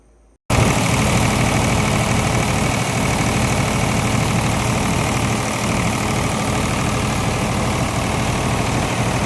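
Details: Water-damaged diesel engine rebuilt single-handedly and started after reassembly: steady, even diesel clatter at idle with no odd knocks or misses, running smoothly.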